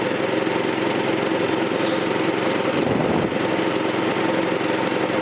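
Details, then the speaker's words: 1984 Troy-Bilt tiller with 6.5 HP 212cc Predator engine, after replacing the bad spark plug: small single runs at a steady, even idle with no misses or surging; running fine. "So, it was just a bad spark plug. Too bad spark plugs. Sounds like it's running fine."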